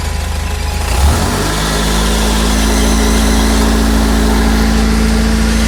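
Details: 1996 Fiat Uno Mille at idle: a steady drone with a faint rhythmic rattle underneath that stops when the clutch pedal is pressed and returns when it is released.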